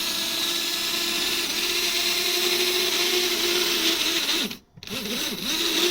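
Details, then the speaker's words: HO-scale monorail, unused for a while, elevated track: high steady buzzing motor whine that briefly cuts out and wavers while the car strains without moving, after derailing; cause suspected, not confirmed. "what are you doing it sounds like it's [Music] dying"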